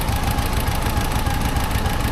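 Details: 1954 civilian Jeep four-cylinder idling after new points and a dwell adjustment, with dwell at about 36, the minimum. A deep, steady thump with no misses or stumbles; ignition sorted, and the spark plugs are thought to be around 50 years old.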